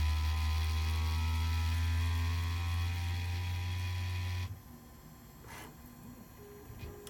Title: Bambu A1 mini problem, anyone know why it’s making this noise/not printing, and how to fix it?